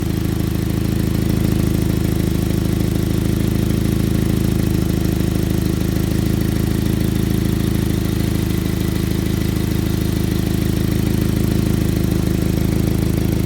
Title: Exhaust leak